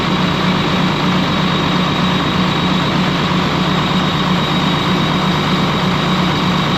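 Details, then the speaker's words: Ex-US Army Cat D6R bulldozer diesel, 822 hours, oil coming from cylinders where injectors dropped: steady drone with an uneven, lumpy stumble about once a second; running rough, number 6 cylinder not reacting to cut-out test. "You guys see a lot of oil that's just coming out of the cylinders where we dropped those injectors. So things still running rough."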